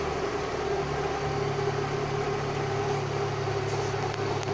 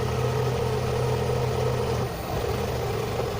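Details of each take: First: Fiat Doğan idling after MAF sensor cleaning: steady even idle with smooth low hum, no misses or knocks; engine running healthy. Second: Car idling as the MAF (mass airflow) sensor connector is unplugged: idle starts steady, then dips, rises and wavers as the engine hunts on its own before settling back to normal.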